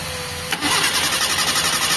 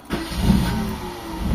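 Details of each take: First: Mitsubishi Lancer 4G13 carbureted, fuel hose pulled off the carb into a glass while cranking: steady starter churn about four pulses a second, engine never catches; fuel only trickles out, not continuously, hard starting from a weak fuel pump. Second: Mitsubishi Lancer 4G13 carbureted engine, hard starting with the fuel filter emptying; restarted warm, it catches on the first turn into a smooth idle. Normal one-click start.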